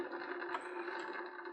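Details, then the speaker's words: Plastic animated lighthouse, made in China, 12 V 5 W, rotating silver piece powered on: harsh, uneven scraping drone instead of a smooth whir. "that piece in there is supposed to rotate, that silver, to imitate the lighthouse going around in the circle. You can hear, it sounds horrible."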